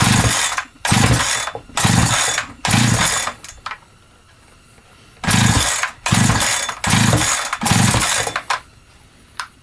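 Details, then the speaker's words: Holzfforma G372XP chainsaw (Husqvarna clone), never ran right since new, running lean: revs in ragged bursts about once a second, then die and restart; won't hold idle and stalls, suspected fuel problem, carb adjustment or faulty carburetor. "definitely seems to be a fuel problem we can get it to fire off with fuel down into it but then it doesn't want to stay running after that"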